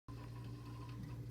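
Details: Frigidaire deep freezer: steady low compressor hum with a faint fast mechanical patter riding on it, an extra noise beyond the normal compressor run; cause unknown, abnormal running noise.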